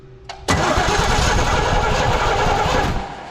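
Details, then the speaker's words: 1984 Chevy C20 3/4-ton 2WD truck, revived after years in storage with a dead battery: even starter churning for about 2.5 seconds, never catches or fires. Cranks but no start, no spark; power to the distributor cap checked good. "No spark. Well, that's problem number one."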